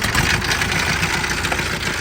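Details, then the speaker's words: Auction Isuzu 4HE1 four-cylinder fully mechanical diesel: rough cranking with uneven, lumpy clatter and harsh hiss, oil coming out, smoky; abnormal crank, major internal issues suspected. "I'm going to say with the amount of oil coming out and the noise that we have some major [Applause] issues"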